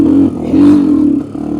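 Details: 1986 Honda 350X ATV on a top-speed run at full throttle: engine drones at a steady pitch but never climbs or revs out, flat and struggling; not opening up, idle set a bit high; cause unconfirmed.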